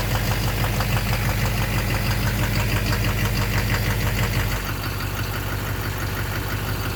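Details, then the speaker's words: 2009 Chevrolet Duramax LMM dually diesel V8 at cold morning startup idle: a steady knock about three per second over the rumble, first mistaken for an exhaust leak. Owner suspects an injector or a cracked flexplate, unconfirmed. "That doesn't sound good. Yeah, now you hear the knock. And you can see why I thought it was an exhaust leak, because it's kind of like, it's just louder, it doesn't seem to affect it."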